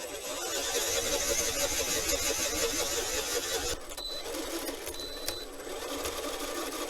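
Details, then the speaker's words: RC car, first battery test after replacing the dead rear differential with a new one: a smooth, even high-pitched whir of motor and gears with no clicks or skipping. Normal drivetrain run, seems fine. "ok mais écoutez paraît plutôt bien"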